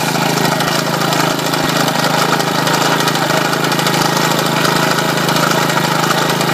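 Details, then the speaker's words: Homemade generator, a small single-cylinder lawn mower engine driving a GM 3-wire alternator, charging a 12 V battery at about 14 V: steady even drone under load, no knocks or misses; healthy. "as you can see it's generating 14 to have folks that battery is getting charged"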